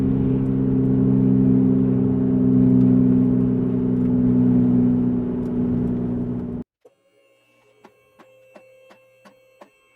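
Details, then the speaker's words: 2007 Jeep Grand Cherokee 4.7L, driving and swerving: a loud, steady droning hum under the road noise. Worn driver's front wheel bearing. "holy cow I hope you guys can hear that let's do a little swerve here wow it is definitely the driver's front wheel"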